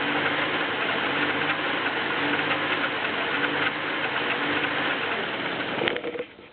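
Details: BMW E36 318is M44B19 engine on cold start with a light metallic ticking about three or four a second; idle rpm hunting between 1000 and 1500, cause unclear.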